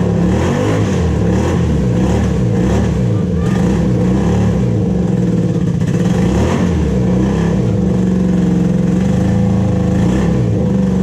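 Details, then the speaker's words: 1987 Honda Super Magna four-cylinder, sat about 10 years in a field, first idle: lumpy, uneven, stumbling, smoky idle gradually clearing up. It is misfiring, not yet hitting all four cylinders. "It's definitely not happy, but it's starting to clear up a little bit more and more."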